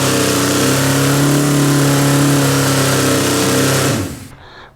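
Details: Suzuki GS650 motorcycle in a basement, just after top-end rebuild with coils and carbs refitted and a splash of fuel: fires right up, steady even multi-cylinder hum for a few seconds before shut-off; healthy idle.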